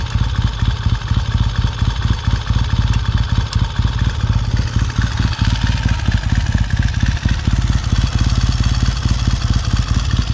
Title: 1969 Triumph T100c one kick cold start after rebuild